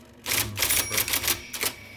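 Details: 1979 IBM Selectric II (non-correcting) typewriter, restored after a miswired plug, cleaning, flushing and lubrication, typing: crisp, sharp, clean type-ball strikes, about six in two seconds; normal, healthy mechanism.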